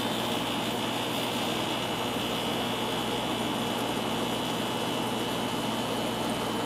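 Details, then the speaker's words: 1994 air conditioner starting up after a long time unused: a loud, steady hum and rushing airflow with a constant high tone that quiets down as it runs; owner attributes the noise to the long disuse. "it's quieted down a little bit now it will quiet down even more haven't run this unit in a long time so that's why it sounds like that"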